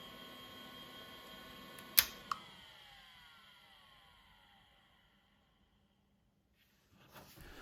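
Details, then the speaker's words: Old IDE hard drive that passed Check Disk and a full ScanDisk surface scan with no bad sectors, shutting down: two sharp head clicks, then the spindle whine slides smoothly down in pitch to silence; normal, healthy spin-down. "So yeah, this hard drive appears to be working fine. So again, some sounds from the hard drive, and then also the shutdown."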